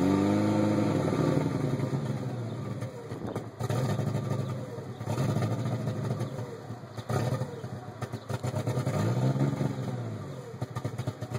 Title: 92 tsi rough idle